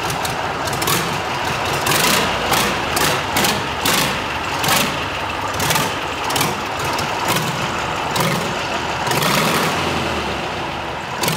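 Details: Rebuilt Tatra 148 diesel on a stand without muffler, first runs after overhaul, bursts of full throttle then low speed with sharp exhaust cracks; oil pressure rose after running, engine healthy.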